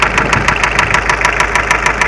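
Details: Mitsubishi Space Runner 2.0 diesel at idle, sharp hard knock about six to seven times a second over a steady idle, engine shakes but idle does not hunt and starts fine; appeared suddenly while driving; loosening an injector made no difference; diesel knock, cause unknown.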